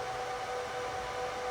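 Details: HP ProLiant DL360p Gen8 server just powered on, booting into the BIOS: loud steady rush of air with a constant high tone, even and unbroken; fans at full speed at startup, normal.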